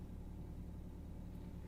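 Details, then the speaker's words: Volvo station wagon, started right up: a low, soft, even rumble with no misses, ticks or shaking. A quiet, healthy idle. "the first thing you notice is how quiet it is idling"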